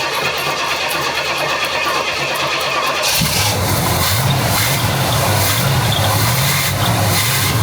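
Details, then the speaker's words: Carbureted car with new 2.5-inch exhaust, cranked after carburetor work, leaking: starter cranks about three seconds, then it catches and runs rough and uneven, stumbling; bog on start, owner blames float height. "But it sounded like it was still bogging. The problem is the float height, you have to take the carburetor back off."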